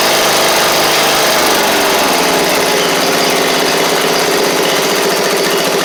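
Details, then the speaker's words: Seven-year-old MTD Murray riding mower, single-cylinder engine, oil slightly low, just started after repairs: strong even beat at steady speed, no misses or rattles; running right. "that's nice man that thing runs like a top"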